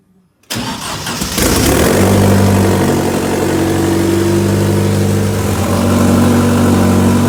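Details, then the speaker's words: RWD-converted Mk2 Scirocco with a 20-valve 1.8T engine catches and settles into a steady, even idle; rear wheels spin up through third gear with no knocking or grinding, so clutch and gearbox are engaging normally. "so yeah that's awesome rear wheels are spinning i went up to third gear there and when i watched the clip back it got quicker each gear so i can only assume it was going into gear which is uh which is good"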